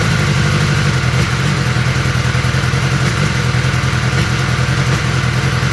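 Bike engine running with an uneven, lumpy beat and occasional stumbles instead of a smooth even idle, suggesting a misfire.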